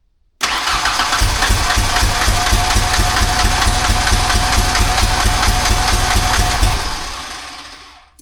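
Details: '91 Ford Ranger 2.3 after swapping the TFI/ICM module, now with full spark and plugs looking fine. It fires at once, chugs unevenly for about six seconds, then dies. A PIP/crank sensor code is stored.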